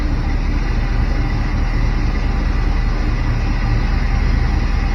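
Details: Barn-find Chevrolet C10 V8, unused 17 years, after fixing the stall by resetting timing to zero from 37 degrees over-advanced: deep, steady rumble holding an even idle with no stumble, surge or dying.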